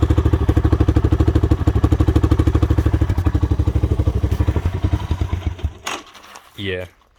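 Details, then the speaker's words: 1985 Honda Big Red three-wheeler with broken carburetor part, sat about five years: steady low thumping idle about three beats a second sags and stalls near six seconds without choke; carb gone through, cause still unknown. "because it'll stall like that and I I went through the carburetor but I never figured out what was up with it it's always just been a problem"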